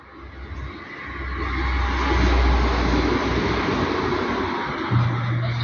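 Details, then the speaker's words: Samsung washer-dryer front-loader on a quick 15-minute wash reaches minute 13, where the noise used to start: a low steady hum under water and drum sounds with no strange noise; the fault was traced to a valve. "chegou no 13 galera não teve barulho até agora aí galera a máquina já chegou aqui aos 12 e não deu barulho"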